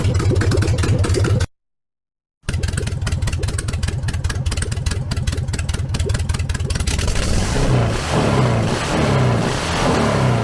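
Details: VW 1303S Beetle, rebuilt 1915cc engine, first run after timing corrected, no exhaust fitted: loud raw rapid pulsing, rising crisply on throttle and settling back evenly; healthy idle and revving.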